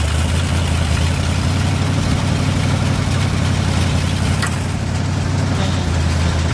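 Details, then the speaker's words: 1971 International 1890 plow truck, abandoned since 2001, after carb rebuild and new fuel line: deep, even idle rumbling steadily with no stumbling or dying, engine keeps running on its own; normal idle. "a think the bow throws down seems to want to stay running pretty cool"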